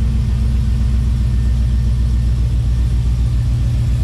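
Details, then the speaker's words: NBS GMC Sierra V8 with new Speed Engineering 3-inch single catback exhaust, heard outside before a drive; deep steady low idle rumble with even throaty pulse, no ticks or misses, definitely louder: healthy. "let's listen to it out here before we go it's definitely louder"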